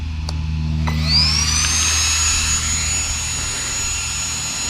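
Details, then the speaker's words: Traxxas XRT RC truck with Hobbywing Max5 G2 and 800kv setup, first test run on a hot day: hyperflow cooling fans kick on, high whine sweeping up then holding a steady screaming pitch over low hum; normal fan operation. "go ahead and kick on the hyperflow fan so you can hear that super strong fans should help keep everything super cool"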